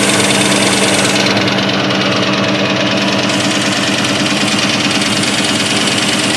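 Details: 2003 Ford SVT Cobra V8 at idle: steady hollow knock about three per second over the engine hum; owner scored the pistons badly, piston slap suspected.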